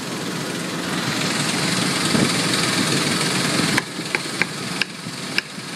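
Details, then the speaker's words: 2001 Ford Explorer 4.0L with codes P0113 and MAF circuit low, idling during a MAF connector wiggle test: an even, steady idle with no skipping, slight valve chatter and a few clicks; the fault could not be reproduced. "And it sounds like she got a little bit of valve chatter. All right. You pry on the connection, move it around. You're just trying to see if you can get it to mess up. I mean, you can hear it. It's not skipping a"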